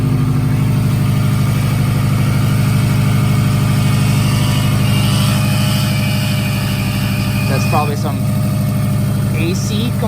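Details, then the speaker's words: Subaru WRX after a JDM long-block swap, on E85, first start: steady, even flat-four idle with an irregular chirp coming and going; the loose AC belt is the source, and the engine itself sounds healthy. "bearing started smoking up a little bit that's because uh i don't know why but this belt is loose ac is built probably just going to take that off and put it back on we got ac in here but that's what that weird noise is coming from"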